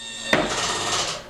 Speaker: and you hear that clicking sound that's natural there's a clutch inside the uh linear actuator which is a uh it's a roller a plate with ball of bearings that that rotates does no harm at all